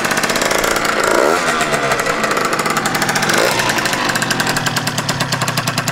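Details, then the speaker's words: Freshly built tuned scooter with Stage6 Pro Replica Mk2 exhaust, first run on choke: crisp, fast popping two-stroke beat settling into a steady, even idle; started immediately, nothing blew up, engine sounds healthy. "Vergaser ist Sprit drin, müsste angehen. Toi, toi, toi. Ja. Das klingt doch gut. Das klingt doch gut."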